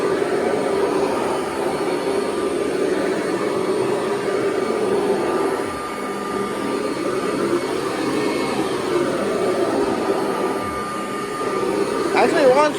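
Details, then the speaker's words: 1982 Kirby Heritage 1 upright vacuum: steady, high motor whine with a faint flapping rasp; runs strongly, but the belt sounds worn and will be replaced. "So I am going to have to replace that belt though it sounds like."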